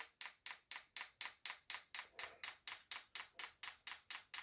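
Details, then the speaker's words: Chinese 12 V 5 kW diesel heater on a workshop bench, dosing fuel pump priming before first start; sharp even clicks about twice a second, crisp and high, fuel not yet visible in the clear filter. "so we want to prime the fuel pump so that when the heater starts it gets fueled straightaway and we just press up to go on and you'll hear the fuel pump taken away"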